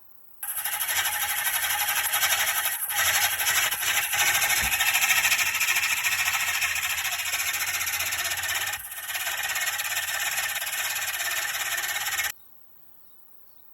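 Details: 2016 GMC Acadia Denali 3.6 engine: harsh, steady high screech from the belt drive that changes with revs and comes and goes after restarts, first suspected as AC compressor; alternator pulley slipping on its shaft.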